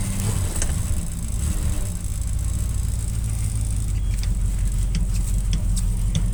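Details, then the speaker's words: 1967 Plymouth Fury, first start after sitting 42 years, started unexpectedly fast. A deep, steady rumble at a fast idle, no knocking or missing, with some smoke and a fuel leak: the engine runs normally. "holy crap I was not expecting it to start that fast"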